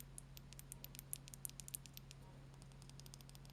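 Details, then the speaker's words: Razer DeathAdder Elite mouse, opened up for the stuck-button fix: light, crisp clicks at a steady pace over a low mains hum. The buttons switch cleanly, but something appears to have been forced in, leaving a scratch, and there is dirt to be cleaned with IPA. "the buttons do actually work. Right, so that means then it does look as though something's been forced in there."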